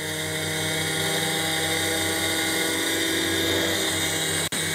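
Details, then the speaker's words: Brushless motor on 12 volts through an ESC with potentiometer speed control, bench-tested for a Fryer mini mill spindle encoder: ESC startup tones, then clean steady high whine with no rattle; normal brushless motor run. "you can hear that the esc started up just like when you start the airplane and that sound tells us that it's ready to go so if i go here and i turn the potentiometer it is gonna get the motor running"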